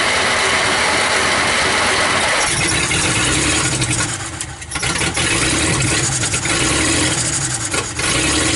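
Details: 1949 Dodge business coupe, first start in 20 years, no radiator: catches and settles into an uneven idle that sags now and then, a light intermittent skip; stuck valves suspected.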